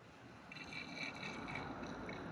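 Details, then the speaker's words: 1970 International Harvester 1200D 4x4 pickup, 345 engine, carburetor off the vehicle with tank held up for gravity feed, float level set: soft trickling and gurgling of fuel into the float bowl; fuel flows, later overflows and leaks at reused gaskets. "I'll just hold the fuel tank up we got fuel flow"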